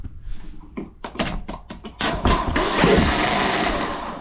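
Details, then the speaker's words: Hitachi EX75UR excavator starter, jumped with a screwdriver across the ignition wires: stuttering bursts, then a free high whir with no engagement clunk. The Bendix drive doesn't extend; starter is fried. "yeah that's all it's doing is the spindex the bendex is not coming out so definitely fried"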